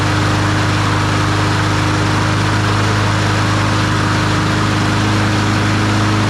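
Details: Troy-Bilt TB200 push mower, Briggs & Stratton 550e 140cc engine: steady, even single-cylinder drone at a constant speed with no misses or hunting; the mower is running normally.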